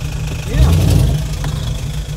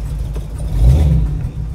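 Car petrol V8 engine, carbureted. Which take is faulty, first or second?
second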